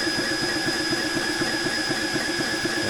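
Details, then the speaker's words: Air King 300 Outback compressor on a Ryobi battery filling an FX Impact M4 .25 PCP rifle. Rhythmic pumping about four strokes a second under a steady hiss, sagging and labouring; the motor struggles as the battery dies after about 7 minutes. "to be fair, it sort of sounds like it's struggling already. Struggling. That's going to conk out in a minute."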